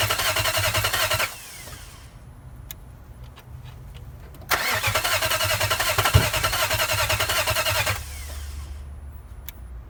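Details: Nissan VK45DE V8, 2003 engine swapped in for a 2002 with a blown head gasket, one front camshaft sensor just changed, fuel pump not heard priming: long steady cranking without catching, one sharp pop; crank no start with occasional backfire.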